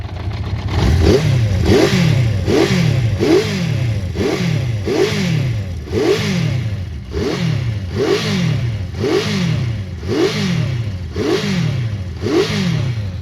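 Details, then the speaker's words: Honda CB400 Four after tappets reset, now warm: soft, even exhaust beat at tickover with a gentle regular swell and no internal clatter; healthy idle, carbs may not even need balancing. "ticking over nicely there. Now it's warm."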